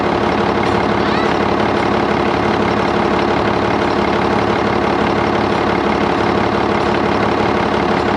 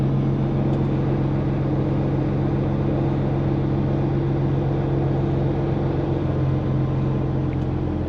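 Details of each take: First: Auction-bought diesel dump haul truck started after service to check for air and transmission fluid leaks, exhaust rain cap flapper fitted: steady, even idle around three firings a second, no knocks or misses; engine seems to run good. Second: Diesel dump haul truck on test drive with bed lowering: steady diesel rumble with a loose, uneven fluttering rattle on top from the exhaust rain cap flapper, awful noisy.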